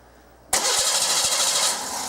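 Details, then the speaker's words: 1989 Oldsmobile 3.8L 3800 V6 with intermittent stalling: starter spins with even compression pulses but engine never catches; no start, wiggling a wire usually lets it start. "okay so what you just seen is a no start it's not a stall now it is a no start now the one thing that we've been able to figure out so far if we wiggle the magic wire right here it most of the time will start"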